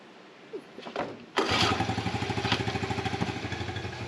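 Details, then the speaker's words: 1984 Honda TRX70 quad revived after sitting for years in a barn, ice cold after sitting overnight: first pull catches and the small single pops quickly near three beats a second, then doesn't stay running. "I swear that was a legit first start, first pull, cold, ice cold start. Of course, it didn't stay running, but it started."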